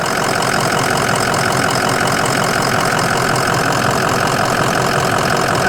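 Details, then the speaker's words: 2005 Ford Excursion Limited 6.0L Powerstroke diesel 4WD, upgraded turbo and injectors, EGR delete, rebuilt transmission at 100k, under the hood: loud steady idle with usual injector clatter and vibration, even rhythm, no blow-by or smoke; healthy. "Absolutely just vibrating is all. Sounds great, no weird smells or sounds, no smoke."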